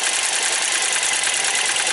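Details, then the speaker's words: 2002 Nissan Maxima with random misfire codes after many parts changes: uneven, shaky idle with a fast light valvetrain ticking; misfire with valvetrain noise, cause not yet found. "see see even this motor have noise too oh yeah we hear hear some Val train noise it's definitely"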